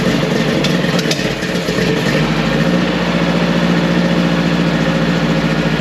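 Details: 1959 VW Beetle convertible after a few years of sitting: uneven, lumpy idle with an irregular beat and occasional stumbles while it runs through old fuel left in the line and carbs; needs more tuning.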